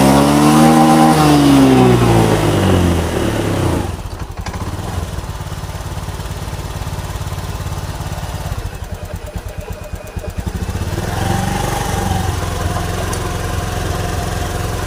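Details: Honda Beat Street FI scooter that stumbled and stalled when throttled: after cleaning built-up dirt, the engine climbs cleanly on throttle, settles back and picks up again without stumbling; running healthy now.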